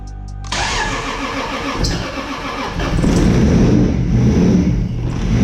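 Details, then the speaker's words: Toyota Supra MK4 700HP build with BC 272 camshafts, ProEFI standalone ECU, fuel pump wired directly to battery: cranks, catches and settles into choppy loping idle, a little smoky; normal big-cam lope. "so a little smoky up in here you heard them cams you heard the cams"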